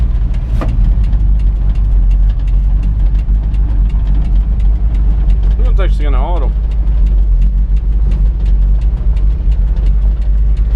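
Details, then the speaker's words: 1982 Toyota Dyna ex-council works truck, warm, high mileage: deep, heavy idle with a dull, even thump and almost no crispness, an oddly muffled exhaust with no smoke visible. Cause undetermined. "that sounds strange but it sounds extremely fluffy at the exhaust but there's no smoke coming from anywhere"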